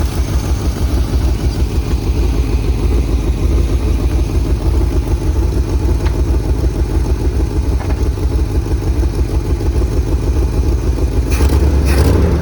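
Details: 1978 Chevy K20 Camper Special 4x4 that sat outside for 13 years: heavy, uneven low rumble with a loose clattery pulse about three times a second at idle; rough running, stuck rings suspected after the long storage.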